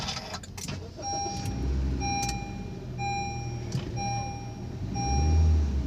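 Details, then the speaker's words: Honda City after repair of cylinder 3 misfire code P0303: engine starts and settles into a steady, even idle with no missing, check engine light no longer blinking; normal idle. "कि देख सकते हैं यह गाड़ी जो है हमारी एकदम परफेक्ट हो चुकी है मिसिंग भी नहीं कर रही"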